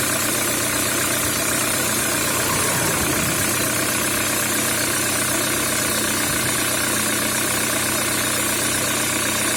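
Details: Peugeot 307 with EW10J4 (RFN) petrol engine at idle: a steady tapping knock, roughly two to three per second, from inside the engine: engine knock.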